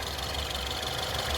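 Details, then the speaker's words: 2014 Ford Fusion Platinum EcoBoost FWD, 72,000 miles, idling in pre-purchase inspection: steady idle with fast light sewing-machine tick from direct injectors and high-pressure fuel pump; healthy taps, not cutting out, sounds great. "You want to make sure those are healthy taps. Um if they're if you don't hear them or they're cutting or going in and out, it's usually injector signs. This sounds great."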